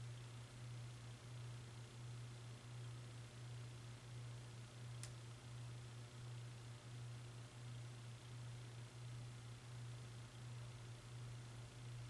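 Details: Hunter Westminster ceiling fan: loud steady low 60 Hz motor hum with faint slow pulse around 86 per minute; high speed no faster than medium, bad capacitor suspected, unconfirmed.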